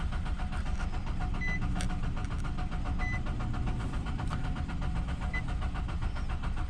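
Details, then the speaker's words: 2021 Nissan Rogue crank no start from water-contaminated fuel, likely water in the cylinders, cranked on ether: steady starter churning for several seconds with faint hints of catching, never fires, engine flooded. "All right, so most likely we've still got a bunch of water in the cylinders, so I'm gonna hit it with a little bit of ether and see if I can't get it to bust off and blow some of that out."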